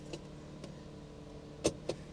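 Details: Auction car with 270,000 miles: a quiet, even idle hum with no knock or squeal, only a couple of light clicks. There was a belt squeak on first start and the check engine light is on, but the engine sounds good.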